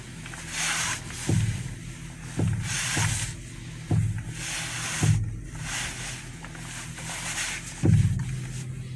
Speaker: This car has a bad strut mount on the right side in the front, and that's how it sounds.